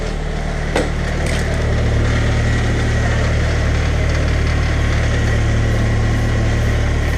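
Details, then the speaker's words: 2002 Saab 9-3 at idle after a center exhaust section replacement and muffler delete: steady idle with a loose, tinny buzzing rattle from a heat shield on top of the exhaust; no leaks, shield to be secured. "a heat shield that's rattling right here so I'm just gonna secure that and everything sounds like it's good to go no more leaks"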